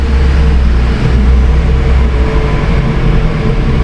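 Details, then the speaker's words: Honda HR-V on a lift with rear wheels off the ground and spinning while wheel speed sensors are read in ABS data: steady low drone with a constant mid-pitched howl from a worn rear wheel bearing. "and we can see both wheel speed sensors of course we can hear that bearing howling too"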